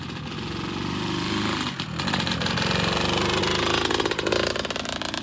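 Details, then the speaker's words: Honda CR125 two-stroke after cylinder rebore and replating, new Wiseco Pro Lite piston and new head: buzzy running with a rattly, uneven chatter over the exhaust; unusual noise, big end bearing suspected, unconfirmed. "but it's making a little bit of a noise i don't particularly like maybe a big end bearing i was hoping those were okay they felt okay but maybe not"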